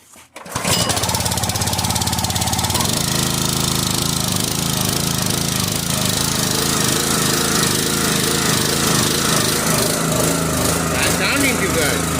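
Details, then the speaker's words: Forest King 30-ton log splitter engine at full throttle with choke set, after refilling dry hydraulic fluid that had caused chuggish running, working air out: steady even chug, now sounds better; normal running. "good. Now it sounds better."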